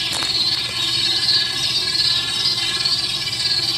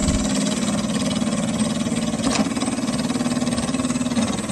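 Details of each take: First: Dolphin S 300i robotic pool cleaner after an experimental temporary fix (guitar pick wedged in place) for a skipping drive gear, replacement gear on back order: steady high-pitched motor and gear whine, even, no clicking or skipping; drive running normally. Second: Dolphin S 300i robotic pool cleaner that won't move, motor good after earlier seized-bearing repair: motor whirs steadily with a fast rattling click several times a second, then cuts out; drive gear skipping, suspected loose or worn gear.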